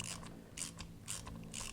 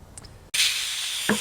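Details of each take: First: 2003 Harley-Davidson Anniversary VROD front Hayes caliper rebuild. Crisp metallic torque wrench clicks about every half second as the tapered pad pins reach 180 inch-pounds, confirming they are installed correctly. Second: 2003 Harley-Davidson Anniversary VROD, front Hayes brake caliper rebuild. After a click, a sharp steady hiss of air escapes as two frozen caliper pistons pop out while one stays stuck.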